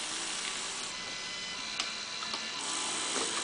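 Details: Fischertechnik pneumatic robotic arm model, small motor-driven gearbox at the wrist/gear switch: light, even high-pitched motor whir with faint gear clicks, no binding or stalling; gearbox runs normally.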